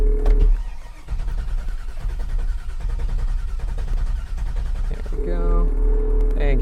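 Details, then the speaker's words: Classic Bel Air, sat untouched for a week and a half, started after a couple of throttle pumps: short cranking, then it catches into a deep, lumpy idle. Normal start. "one more crank and there we go so again this car sat for a week and a half untouched not running hot cold everything you can imagine and it was a couple pumps on the throttle you know crank it for just a few seconds there let it cycle and we're good to go"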